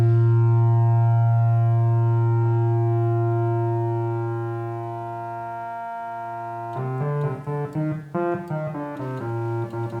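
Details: Prophet 5 Rev 3 synthesizer under restoration: a held note fades after a few seconds, then returns with crackles and dropouts; failed 150 pF polystyrene filter capacitor in that voice, and replacing it restored the filter.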